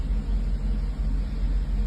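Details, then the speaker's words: 1984 Mercedes 380SL V8 after replacing the 40-year-old ECU (and oxygen sensor) for rough idle and black smoke: deep steady even idle, no stumbling or shake; no black smoke, sounds normal, may still clear some gunk. "but she sounds normal now this is what this car is supposed to sound like she's idling"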